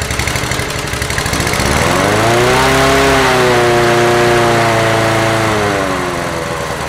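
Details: Honda HR17 lawn mower single-cylinder engine, after starting trouble on return to service: runs steadily, revs rise smoothly then settle, even firing with no misses or knocks; running normally. Carburettor bowl gasket leaking fuel and contact points suspected.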